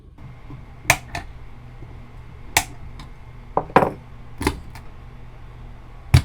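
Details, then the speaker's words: 1964 Fender Concert amp before repair: irregular sharp pops and uneven pulsing crackle a second or more apart over a low steady hum, coming from the preamp section; noisy old plate resistors. "So I hope you guys can hear that really uneven pulsing crackle that kind of lingers in the background. So this is coming from the preamp section,"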